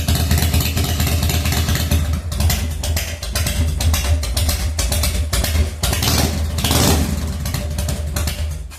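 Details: 1997 Harley-Davidson FXDWG, first start after S&S carburettor repair and reinstall, updated crankcase breather kit fitted, odometer 6,948 miles: loud, uneven V-twin cold idle that lopes and stumbles. Rough cold idle; owner plans to adjust the idle.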